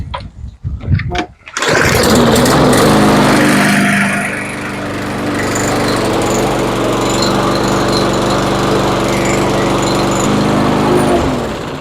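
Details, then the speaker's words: Troy-Bilt TB230B XP push mower with Briggs and Stratton E-Series engine and plastic carburetor that would not run, after carburetor cleaning starts in a couple of pulls and runs steadily with no misses. "All right, it works."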